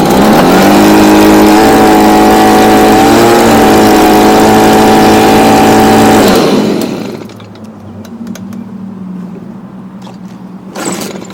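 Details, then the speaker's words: Stihl BG55 blower after replacing carburetor (old one had torn diaphragm) with new C1Q-S68G carb and adjusting it: crisp two-stroke howl at steady high revs, clean even pitch, then cut off; running healthy and strong. "as if we get some more power nope it's pretty good right"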